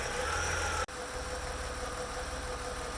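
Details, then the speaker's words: BMW 850Ci after replacing the fuel pressure regulator: steady even idle with constant hum and no surging, earlier idle surge caused by the faulty regulator's vacuum line. "you can see I have a nice even Idol and you can see the replacement fuel pressure and everything is running great"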